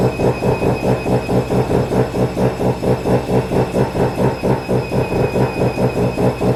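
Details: Mazda FD RX7 RS Series 8 bridgeport rotary with Hypergear T51R single-turbo conversion, first start, untuned, open dump with no muffler: very loud, raspy idle pulsing about twice a second with blatting edge; exhaust leaking at the unseated turbo V-band clamp.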